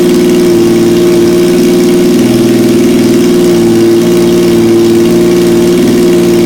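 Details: 1977 Yamaha XS750, first start in 30 years, rebuilt carbs, velocity stacks, new oil, filter, plugs, resistors and throttle cable, auxiliary fuel tank: steady, even idle with a constant low drone, no misses or knocks; running cleanly.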